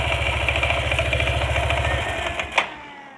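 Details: Yamaha NMAX scooter, rough noise on throttle release: light metallic chatter about three to four ticks a second over idle, fading as revs drop; CVT slider found loose, but noise stopped when tensioner pressed, so worn cam chain tensioner.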